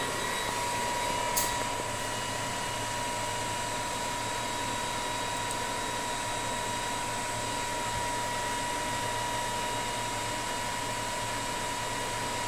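Steady, even hum with a clean constant tone and no knocks, surges or grinding; the drive and motor are running smoothly.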